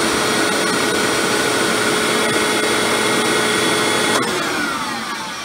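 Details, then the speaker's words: Hoover Windtunnel Supreme upright vacuum with motor before repair: noisy running, harsh high-pitched whine over fan roar, then unhealthy noisy wind-down as the tone drops; owner convinced the motor bearings are slowly on their way out and plans to oil them. "whine down sound doesn't sound very healthy at all turns out I'm really convinced that the motor bearings are slowly on their way out"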